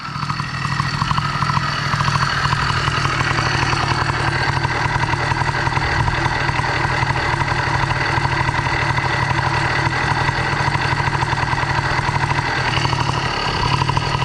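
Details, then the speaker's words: 70cc Minarelli two-stroke motorized bike with a modified G2 reed valve, not fully warmed after a minute or two of running: fast, buzzy but steady idle at about 2,500 rpm, too high for a proper idle; high idle. "At the moment, the idle sounds stable, but once I get on it, heat it up, do a pull, let off, I'm curious to see if it'll return to this. But this sounds promising. That's about 2,500 RPMs on the idle."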